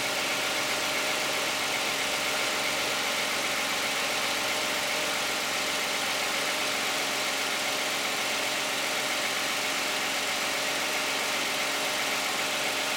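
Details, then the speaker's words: 2010 Toyota Camry 3.5 V6, 93,000 miles, cold start, hood open, Pennzoil Ultra 5W-30 synthetic and Wix filter. Smooth, even idle with a steady hum and no knocks, ticks or rattles; normal, quiet idle. "I think it sounds pretty quiet. It'll be interesting to hear how the video sounds."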